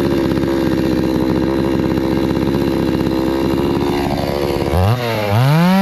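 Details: Hyundai 650 chainsaw after repair of running then stalling, tested cutting wood: steady high buzzing rev without faltering, dropping and picking back up cleanly, no stalling; normal running.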